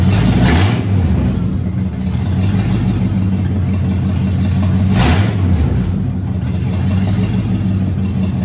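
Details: Car first run since 2019 after new fuel pump, cleaned tank, new starter: catches and runs steadily with two clean rev blips rising and falling smoothly, no knocks or misses; healthy.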